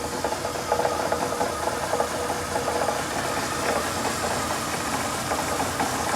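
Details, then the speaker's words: Lada Priora 126 engine after timing belt wore and crank sprocket slipped, valves set, none bent: idling with sharp metallic knock about once a second; cause was worn, loose crankshaft timing sprocket with metal shavings. "Как ни странно не погнул в этом случае но появился короче какой-то стук в двигателе"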